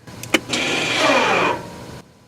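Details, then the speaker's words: 2017 Mazda 3 rear electric parking brake: short electric motor whir of about a second, pitch sliding down as it loads, as the motor pulls back on the caliper; normal parking brake actuation. "now you should have heard that in motor that was basically the motor pulling back on the caliper"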